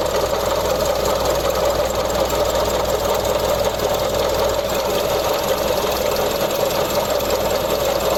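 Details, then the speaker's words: Mazda CX-30 engine running, stethoscope at the belt tensioner: a noise heard since starting that keeps getting louder, a constant crispy, gritty whirr at idle. "easy you can definitely hear that crispy sound um from the tensioner"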